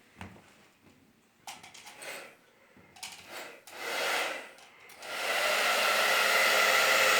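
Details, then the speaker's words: Hair dryer, reassembled after a repair demonstration of a no-heat fault, rear cover clicked back on and switched on; the unit was never actually faulty. After some handling the fan and airflow hold a smooth, even high-pitched rush with no rattle, a healthy dryer. "Bizim makinemiz daha önce sağlamdı arkadaşlar. Arızalı değildi."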